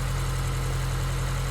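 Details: Honda S2000 idling: steady, smooth low hum with no chirp, rumble or bearing growl; smoother and quieter idle.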